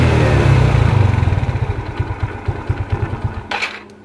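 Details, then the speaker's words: 2010 Yamaha Mio carburetted scooter after rear gearbox (gardan) rebuild with fresh gear oil: revs then drops off with low, even pulsing, no hum or gear roughness; previous drive hum fixed. "lalu kita putar si ininya Ee spulinya kita dengar suaranya dan ternyata suaranya Udah mulus banget"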